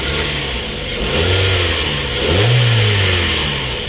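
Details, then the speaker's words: 2007 Mazda 3 1.6 TX, 105 hp petrol with 5-speed manual, about 130,046 km, dealer-serviced, fluid levels fine: smooth idle rises cleanly on two throttle blips and settles back evenly, no knocks or rattles; very nice, healthy engine sound. "gondolnám, hogy ez nagyon szép és egészséges motorhang, ezzel biztos, hogy itt probléma nincsen."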